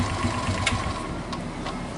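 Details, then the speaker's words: Suzuki Smash idling after fixing a starter gear that rubbed on the crankcase and caused a grating, heavy cold start: even, light patter with the rubbing rattle gone. Sluggish starter motor recommended for replacement. Normal idle. "Nah, suaranya pun sudah hilang seperti yang pertama kita bikin video, karena pertama tadi yang bunyi itu bunyi penyenggolan di crankcase teman-teman itu."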